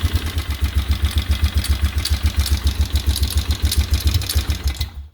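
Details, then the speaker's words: 2003 Polaris Sportsman 500 HO ATV after Bendix replacement: steady low thumping idle about three and a half beats a second, even until shutoff; healthy. "look at that starter gaug is just fine running just fine got to give it a little throttle here but um that's what it should be like"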